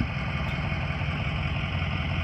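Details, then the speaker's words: 2004 Ford E-450 box truck, 6.0 L diesel, 121,000 miles, warm after running about an hour without overheating: steady even low diesel rumble at idle, no knocks or misses; sounds healthy. "truck sounds great we've had it running for about an hour"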